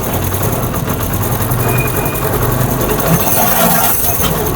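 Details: Honda CD70 motorcycle running in third gear at light throttle: rough, rubbing grind under the steady engine note; gear grinding in third (first gear clatters, second and fourth quiet), engine to be opened and broken gears replaced.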